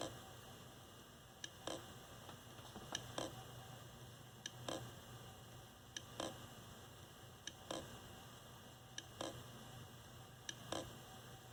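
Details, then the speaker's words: Old computer hard drive in a USB external enclosure: sharp click roughly every one to two seconds over a faint hum; the computer no longer recognizes the drive. "hopefully you can hear that clicking it does that for probably about oh i don't know it's between one and two seconds it'll click"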